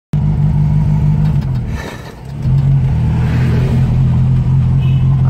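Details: 1976 Datsun B210 (B211) with A12 engine, driven on a hilly road: low engine drone under load with an uneven, stumbling pulse. Misfire caused by a Hitachi DCG 306 carburetor main jet blocked by dirt or water.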